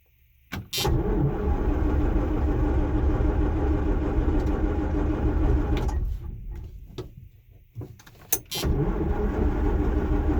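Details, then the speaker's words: John Deere 6620 sidehill combine diesel, not started in about a year, solar-charged battery, in neutral: starter churns about four beats a second for some five seconds, stops, cranks again, never fires; ether given afterward. "Oh, I probably let go too quick. Probably going to just crank it for a bit and see what happens."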